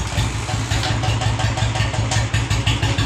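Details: 2019 Royal Enfield Bullet single-cylinder engine idling just after starting, during a wiring repair; even, deep thump-thump at about 167 beats a minute, no knocks or rattles; sounds healthy.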